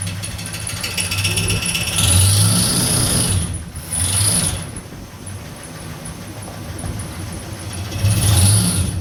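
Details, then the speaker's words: 1969 Chevrolet C10 with a 396 big block that had sat for roughly 20 to 28 years, with timing set and ignition wired. Idles, then swells smoothly through a few throttle blips, pulling cleanly with no knocking or misfire. Runs well; high mileage, with a leak noted. "honestly yeah run pretty good I just know it has a lot of miles it"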